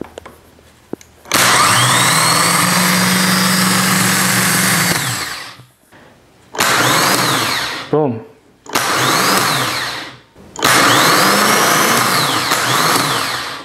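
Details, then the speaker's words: Vehicle in park, ignition turned to start: several crisp whirring starter spin-ups, each winding down on release as the pinion engages the flywheel and disengages cleanly. Normal starter motor operation. "so pay attention to the here it's going to come out temporary and then disengage"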